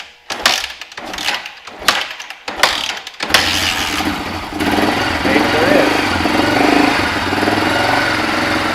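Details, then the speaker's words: Toyota Land Cruiser FJ40 after about 20 years sitting, new fuel filter and gas valve O-ring: a few cranking bursts, then it catches and runs loud and uneven; carburetor not pulling fuel through the main jet. "all right well it definitely runs and it definitely has carb problems it's not pulling fuel through the main jet"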